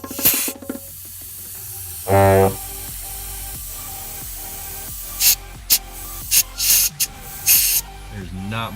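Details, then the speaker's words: Twin-turbo 4.6 2-valve Mustang, forged build, about 3,000 miles: intake pressure-tested, short sharp air hiss bursts with little pressure holding; boost leak from dry-rotted intake part. "pressure into this there's not much air pressure going into an RDC leaking out of here now this is my problem"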